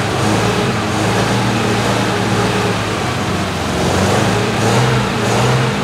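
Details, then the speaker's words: 1973 MG Midget engine, parked over 40 years, first run after fixing the oil leak and timing. It runs with good oil pressure, settling into a loud, steady, even idle with no misses or knocks: normal running. "i bought it just because it was neat and hadn't been run in 40 something years and i'm going to try and make it start and i did it runs let's fire it up"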